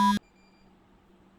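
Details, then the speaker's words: Handheld pinpointer metal detector running on a 9 V battery, demonstrated over metal under a table: two short clear beeps about 1.3 s apart, a normal metal detection alert. "যেখানে একটা indicator light রয়েছে, যে আপনারা শব্দ শুনতে পাচ্ছেন। এই টেবিলের নিচে মেটাল রয়েছে, সেটা সিগন্যাল দিচ্ছে।"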